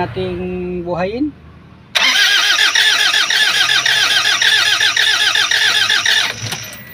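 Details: Toyota HiAce diesel van, suction valve already replaced elsewhere: cranks steadily about three and a half turns a second but never catches; damaged injection pressure pump not delivering.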